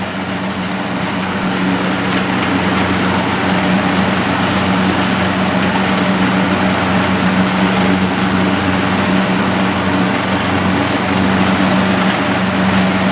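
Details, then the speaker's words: Vintage Coast Air 12" four-blade box fan, model unknown, likely a 4-pole shaded pole motor, at 122 V, 0.46 A, 39 W. Steady rushing air with a low hum; bearings sound dry. Strained airflow, suspected from an unaerodynamic blade. "It kind of sounds like the air is struggling to come out. I think the blade is probably not very aerodynamic."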